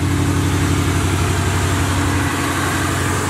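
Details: Box Chevy during a return build, with good oil pressure and no leaks: a steady, even idle with a smooth low burble and no misses; running the smoothest it ever has.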